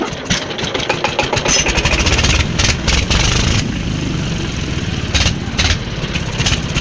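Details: Old Deggi diesel engine after plug change: cranks and fires in uneven bursts, catching then faltering with choppy loud pulses; hard starting.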